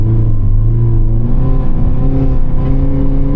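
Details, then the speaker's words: Used car from a buy-here-pay-here reseller, on a test drive: the engine drones and revs with a rising note but has no power; suspected automatic transmission slipping and not engaging. "No power. Oh my God. Yeah, the transmission. This is not good."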